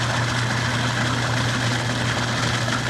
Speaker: among the unusual noises that indicate problem there is one that can't be mistaken for anything else this is the sound of cavitation